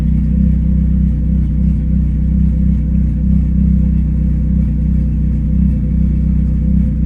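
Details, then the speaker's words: Engine with cam running E85 on stock ECU and injectors, O2 sensor targeting 14.7 AFR: deep steady idle with slight cam lope, no misses or knocks; idles well, would sound lumpier with idle screw lowered. "We got E85. I like to run this shit out, but I'm impressed how good it idles."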